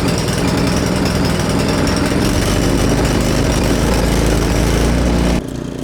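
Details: Husqvarna ST224 two-stage snowblower after cleaning fix for a no-start, started with choke on, quarter throttle, fuel valve on: loud busy single-cylinder clatter steady at part throttle before cutting down; starts and runs normally.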